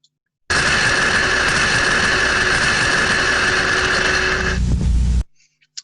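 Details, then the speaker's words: Ultrasound recording of a thermostatic steam trap: steady, unbroken rush of turbulence with no rise and fall or modulation. The trap has failed open and is passing steam. "what we can hear there is clear visible turbulence and there's no change in the sound and for most types of traps if they fail in the open position they're going to sound similar it's that constant level of turbulence with no modulation"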